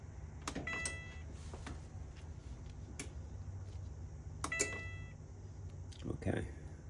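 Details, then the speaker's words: Whirlpool/Maytag dryer (not heating per report; later found broken belt) at start press gives only scattered clicks and a brief chirp, no motor hum or drum turning; won't start, thermal fuse suspected, not confirmed. "okay so it's not starting so that sounds like a thermal [Music] fuse all right so we'll have to dig more into her"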